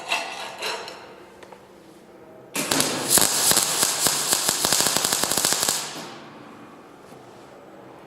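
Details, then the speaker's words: Transformer MIG welder after repair, welding with 1.0 mm wire: arc sputters and pops about three times a second; wire feed too slow for the current. "нехватка проволоки. Я варю единичкой."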